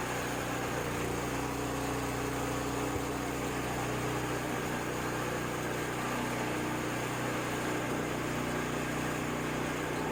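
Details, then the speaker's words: Ariens 724 snow blower, unused 2 years, after carburetor clean and rebuild; primed, no leaks, choked for start. Small single settles into a steady, even idle with no surging or stumbling; runs clean and healthy. "so let's start it up i already primed it to check it make sure it doesn't leak which it does not choked"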